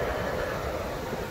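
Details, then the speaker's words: 2015 Toyota Sienna front blower motor after replacement, engine idling; even, smooth fan rush with no rubbing, ticking or whine; previous noise gone, blower running normally. "turn on the fan sweet no more noise"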